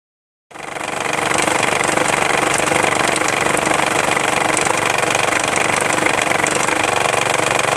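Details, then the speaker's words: Isuzu Rodeo, timing belt cover removed, engine running: fast hard slapping about four beats a second at idle as the belt flops loosely because the failed timing belt tensioner (a compressed gas spring) lets it go slack; surprisingly it hasn't jumped a cog. "So the problem is the timing belt tensioner. Since it's hydraulically controlled, it can fail, and mine has. Because of that, the timing belt is real loose, and I'm amazed it hasn't jumped a cog."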